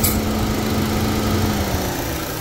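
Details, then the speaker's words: 2014 JH Holden Cruze with code P0171 (lean bank 1) and low boost, fuel trims strongly positive. With the dipstick pulled, a steady airy hiss is heard, the idle splutters and trims rise to 66–67%: a vacuum leak into the crankcase from a split PCV diaphragm. "can hear that sort of purge noise so essentially you shouldn't some cars do have vacuum into the crank case like that but it's very minimal that that's quite a lot of vacuum you can hear the engine sort of splutter when I do that"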